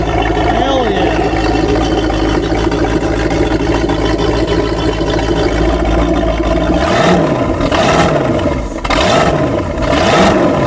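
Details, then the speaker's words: Small block Chevy marine V8 running on old fuel: deep even rumble at steady speed with clean smooth throttle blips, 40 PSI oil pressure, charging; healthy normal running. "oh it sounds good let's go get a listen 212 year old fuel it doesn't I love Marine Motors listen to that stuff"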